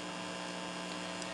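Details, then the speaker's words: Biamp 601E 6-channel line mixer under repair, phone source paused: steady 60 Hz mains hum with buzzy overtones when channel six is turned up; owner suspects the per-channel ducking circuit. "there's no music coming out of the phone it's it's in pause mode and i turn up channel six the quote-unquote good channel you hear that 60 cycle hum"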